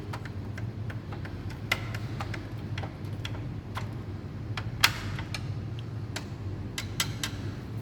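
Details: Xerox 5230 copier: sharp irregular light ticks every few seconds over a soft mechanical hum while searching for a noise source; possibly a loose nut, unconfirmed.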